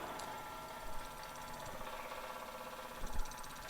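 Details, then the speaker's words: Fuel pump from 2004 New Edge Mustang, bench-tested out of tank on a 12 V battery via alligator clips: low uneven chugging hum with wandering pitch, no fuel coming out. "it's making chugging noises and there's zero fuel coming out so we're not up to a good start"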